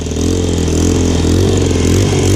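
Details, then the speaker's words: Single-cylinder motorcycle after exhaust repair, old exhaust gasket removed for better seal, choke on: steady, even idle with firm low beat, no ticking or puffing at pipe; exhaust no longer leaking, rattle gone, running healthy. "She's not leaking anymore. Sounds pretty good. Let me take the choke down one."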